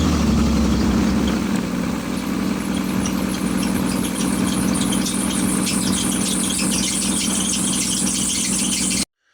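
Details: Exhaust after repairing a cracked pipe with a JB Weld wrap kit, recorded next morning from the same spot as before: even, steady idle with a smooth note, no puffing or ticking; exhaust sounds sealed.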